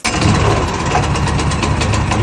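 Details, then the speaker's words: Wood chipper's small petrol engine, just started with the choke, idles at low revs; steady, even firing with no stumbles, normal idle. "Tagad vēl kādi minūti parūti tādos mazos apgriezumos, lai iesūst motors."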